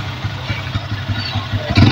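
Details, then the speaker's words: Yamaha Vixion (new model) with battery not charging, voltage not rising to the expected 13–14 V at idle: single idling unevenly, stumbling, dipping and catching; rough, hesitant idle, cause not yet known. "Oke, selanjutnya ini juga RPM-nya kayak nyendat-nyendat mas. Terasa rada-rada berebet ini ya."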